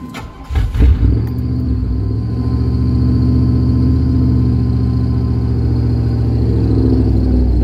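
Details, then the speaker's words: 1998 Chevy K1500 5.7 Vortec stalling when braking and turning, with loss of power; low, uneven idle with a lumpy beat and rpm bouncing everywhere. Fuel pump, filter, plugs, wires, cap, rotor, EGR, MAF, IAC and TPS already replaced; cause unknown. "rough idol rpms in her literally just bounce everywhere"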